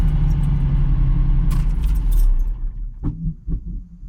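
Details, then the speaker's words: 17,000-mile US-market Dino: engine cuts off and a couple of soft, dull "boof" pops follow within a second, typical of US cars and adjustable out; this one is about as quiet as it gets. "It's funny, that little boof boof, that happens to all USA cars. It's so funny. Like, you could dial that thing out."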